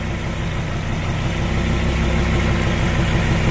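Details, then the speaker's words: Fiat Marea 2.4 at idle; regular puffing tick about three per second over the engine's low hum, from a leak at the exhaust manifold joint; exhaust manifold joint leak. "Ah tá com o vazando um pouco no coletor nessa junção aqui beleza pode ligar tu estavas a nessa junção aqui do coletor tem que resolver isso também"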